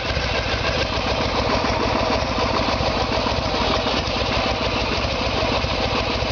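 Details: Harley-Davidson Evolution Sportster, 1994 bike with 1996 engine, idling during timing check with timing marks centred in window: loose, loping V-twin idle with even potato-potato beat, no knocks or misses; this is how the bike came when troubles started (carburetor problem).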